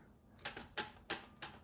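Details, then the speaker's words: TH350 transmission rebuild, pump tapped in before bolts are tightened: five light, sharp clicks as the intermediate clutch pack is moved by hand; free movement shows it is assembled correctly, normal clutch pack free play. "So you hear that? That's the clutch pack moving. All right. If you don't have that movement, then you know something's wrong."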